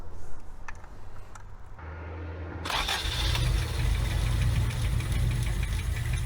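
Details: Abandoned Toyota AE86 carburetted engine during carburettor fuel and ignition timing adjustment: fires and holds a low, uneven wavering rumble that won't settle, running lean and fuel-starved from a badly assembled carburettor.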